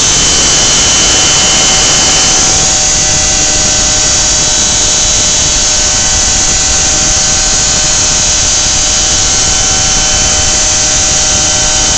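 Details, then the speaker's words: Lawnmower engine on 10% ethanol (E10) fuel, 53° outside, screams at a high steady buzz and keeps racing with the spark plug wire unhooked; owner suspects hot spark plug and engine ignite the ethanol. "that's what it's doing is it's the ethanol it was 10% ethanol in the gas and when the spark plug gets warm enough the ethanol will ignite from the temperature of the engine and the temperature of the spark plug"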